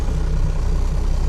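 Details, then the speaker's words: 1996 12-valve Cummins diesel idling at about 200 rpm in drive, before raising the idle; heavy, slow, lumpy thumping at the bottom end; idle set far too low, suspected cause of hard starting. "So we're gonna get to that here, and like, see, when you put it in drive, it idles at like 200."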